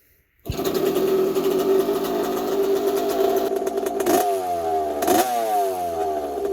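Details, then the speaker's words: 1982 Yamaha YZ80J two-stroke after carb clean, cleaned air filter and fresh fuel, no coolant in: starts crisp, buzzy idle, snaps up and back on two blips; motor not rattly, healthy running. "Sounds pretty good. The motor doesn't sound rattly at all."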